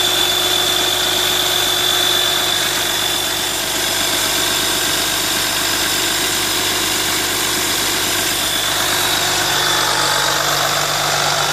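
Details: VMAC VR70 under-hood air compressor on a truck, feeding a rear hose reel: steady even hiss and hum over the idling engine, no knocks or surging; compressor running normally.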